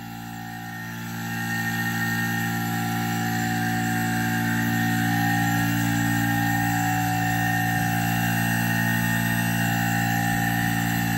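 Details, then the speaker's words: Haier DC inverter AC on cooling, previously showing E7 error: compressor starts, hum eases then settles into a steady even drone with outdoor fan tones, no rattles or grinding; E7 cleared, compressor and outdoor motor running normally. "ये देखें जी, ये आवाज़ आपको आ गई होगी। ये हमारा जो कंप्रेसर है ये ऑन हो चुका है।"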